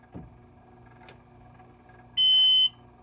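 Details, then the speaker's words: Synology DS1515+ NAS after power supply replacement: quiet room, then a single steady half-second high beep as it finishes booting and the blinking blue power light goes steady. Normal boot-complete beep. "Okay, so it started up all the way. The light stopped, the blue power light stopped blinking."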